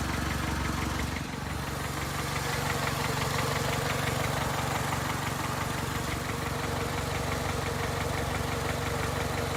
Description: 2002 Honda Accord - 260,000 miles. Engine makes knocking noise. Can’t figure out if it needs a valve adjustment or if it has rod knock.